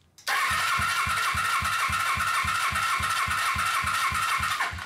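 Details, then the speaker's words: Suzuki GS500 engine, cold, compression test: starter whines under even cranking about three pulses a second, never catches; both cylinders read about 90 versus about 170 good, low compression from valves or rings suspected. "oh that's not good it's still at 90 that's uh it's supposed to be like 100 100 is bad like 170 like right around here that would be good but it's at 90 and this is cold"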